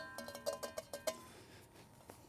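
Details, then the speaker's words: AWD III build with an adjustable-height fender set fully down. A quick run of light metallic clacks as the fender knocks when not snugly tightened; a likely, harmless vibration source while riding; cause suspected. "you want to get this nice and snug otherwise I'm probably gonna get some vibrations just remember that sound though"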